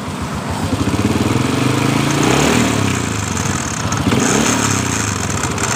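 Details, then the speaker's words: Honda Supra Fit motorcycle: loose metallic "kretek" rattle from the engine that gets busier as the throttle opens; analysed as the starter/dynamo gear contacting the magneto rotor, and the magnet was then replaced. "fokus lebih jelas semacam dari gear dari dinamo patirnya yang ketemu dengan magnet seperti itu yang saya Analisis"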